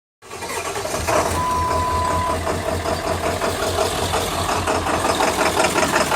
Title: 2000 7.3L PSD Rough idle, no power, white smoke